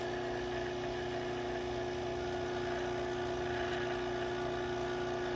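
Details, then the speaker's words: Robinair 134Z refrigerant recovery machine: after nitrogen is let out of the tank, the vacuum pump changes note to a constant mid-pitched hum with a fast even pulse, no knocks or rattles, evacuating the tank normally. "All right, so the nitrogen is out, and what we can do now is open this, and we'll let you'll hear the vacuum pump change. There it goes. And we're going to evacuate the tank."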